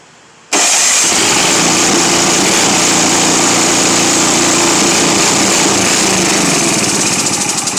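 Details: Simplicity 7524I snow blower with a Briggs & Stratton 7.5 hp engine, primed at the plug and on choke. It catches, but the beat is ragged, hunting and fading, and it won't run properly.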